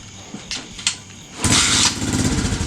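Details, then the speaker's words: 2016 TAO pit bike found seized, kick-started on old fuel after carburetor tapping: catches about half a second with ragged burst after kicks, then fades; sputtering start, owners suspect out of gas, water in cylinder, or flooding. "Oh, it's might be out of gas already. That's a pretty small bowl. It's getting easier and easier to kick."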